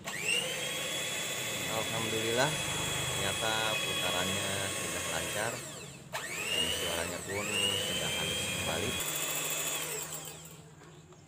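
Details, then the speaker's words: Miyako mixer after replacing both worn gears for rough noise and uneven rotation; steady high motor whine rising and falling smoothly, no grinding or rattle; normal running. "Sekarang saatnya kita coba apakah sudah normal putarannya atau belum."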